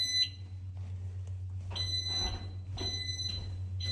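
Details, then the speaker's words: Staircase smoke alarm at 78A Heathcote Road tested for move-in inventory: loud shrill beeps repeat about every second over a low room hum; the alarm sounds properly on test and is working. "So on the staircase, this is where the first smoke alarm is located. If it's working, you can hear it's working."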